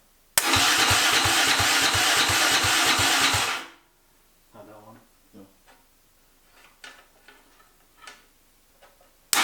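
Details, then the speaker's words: Freshly rebuilt turbo 660 engine, first start attempt; about three seconds of steady cranking at roughly three beats a second, no firing, then silence: cranks but will not start, no RPM/crank sensor signal reaching the computer, cause unknown. "Well, I've been out here for a couple hours now trying to figure out why we don't have any RPM signal going to the computer."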